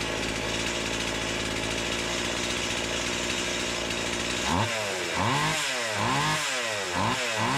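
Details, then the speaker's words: Stihl MS170 with Amazon replacement motor and a new Holzfforma carburetor, warming up: rough uneven idle, then flat lazy rev surges; owner says it sounds far more doggy than an OEM MS170; sluggish running. "now the saw since then does run cuts it sounds way more doggy than an original OEM ms17"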